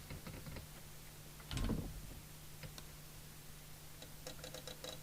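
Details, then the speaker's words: 1981 DNT M40 UK FM CB radio on the bench: bursts of quick relay clicks over a low hum as the PLL drops out of lock while the transmit VCO coil is adjusted. "now can we hear the relay chattering it's gone out a lot and now it's chattering the other way it's out of lock"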